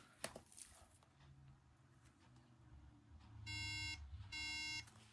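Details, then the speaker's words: 2009 unibody MacBook Pro at first power-on after shipping: instead of the startup chime, repeated long beeps about half a second each with short pauses; owner suspects RAM unseated in transport, not confirmed. "Okay, so reading information online, it's a RAM issue. So basically, probably during transport, the RAM just got fucked."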